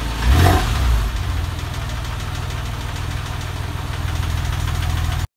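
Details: Porsche 996 engine: a quick blip, then a steady idle with a faint, fast, uneven tapping over the low rumble; source not pinned down and cause unconfirmed.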